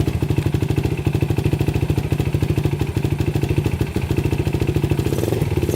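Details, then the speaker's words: 2006 Yamaha YFZ450 quad, cold start after sitting three days, fired instantly, little smoke: steady even big-single thump at fast cold idle, no misses or knocks; normal idle. "Started right up. I've let this quad sit for about 3 days and instantly fired right up."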